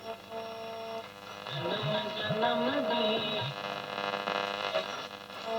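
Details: Roberts R500 radio on shortwave, powered from a semi-switching bench supply: station audio with constant low buzz underneath, interference from the power supply; power supply hum interference.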